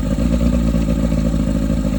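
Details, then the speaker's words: 1991 Mercury Classic 40 outboard on a Carolina Skiff running after replacing the unregulated rectifier with a voltage regulator; steady, even low drone with no misfire, knock or hunting; charging reads 13.5 V running (13.23 V off) and the tach works; normal running. "Beautiful. Good. Even the tack works."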